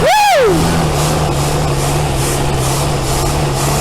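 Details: 1964 Buick Riviera that sat 23 years in a field, first start after a starter swap, with gas being fed by hand because it keeps running out of fuel: it catches quickly and settles into a steady, even idle. Healthy start.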